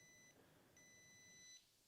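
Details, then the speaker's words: 2019 Polaris Sportsman XP 1000 with no cooling fan, relays swapped, fan circuit breaker rechecked with multimeter continuity: short then longer high beep; contacts closing, circuit closed. "It's making contact."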